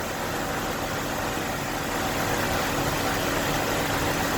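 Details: 2002 Nissan Sentra after a head gasket replacement with the cylinder head reinstalled: smooth, even idle with a steady low drone and no knocks, ticks or misses.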